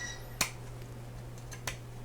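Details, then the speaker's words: AR-15 pistol build, new lower receiver: takedown pin tested after the detent and takedown spring are installed at the rear. Two crisp clicks about a second apart as the pin snaps positively into its detent, properly retained, working normally. "And we can give that pin a try, make sure it's retained, and the detent and the spring are doing their job. You hear it positively lock right there."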